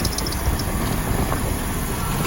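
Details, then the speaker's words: 2005 BMW X5 engine idling with a steady, rough growling rumble from worn A/C compressor clutch pulley bearings, before replacing the bearings; the A/C itself works. "guys it's a cool song coming from the compressor bearings so we are going to start the engine now so you can hear it"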